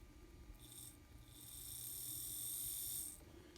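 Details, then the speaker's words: Kato N-scale SD40-2 locomotive sold as noisy, bench-tested after servicing on the lowest power-pack setting: a faint, steady high whir rises and holds evenly, then stops, with no rattle or grind; the motor now runs normally. "and then i can go the other direction as you can see it sounds pretty good now but the real test is on the track"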